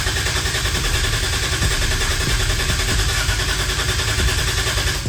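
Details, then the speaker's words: 2JZ-GE VVTi big-turbo swap in MX83 Cressida, priming oil with injectors off before first start on Haltech ECU: brand-new starter and Optima battery crank steadily at about three and a half pulses per second, reaching 50 psi oil pressure; normal cranking. "this is that brand new starter with the Optima battery getting cranks just make sure"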